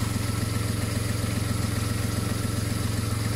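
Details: VW Polo whose alternator had stopped charging, repaired for free with a regulator; runs much better, no more dropouts, new flex pipe fitted. Even, low idle with a steady pulse near 220 per minute and no misses or stumbles; smooth idle after the repair.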